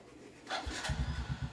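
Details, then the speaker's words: Suzuki Raider J 115 after a clutch housing repair with a washer added to the spring and fresh Petron oil; battery somewhat weak. Quick crank, then the single settles into an even putter of about eight beats a second with no clutch-side rattle: now quiet, normal idle. "Tahimik na. Okay. Yan. Tunog na ulit. Tunog pogi na."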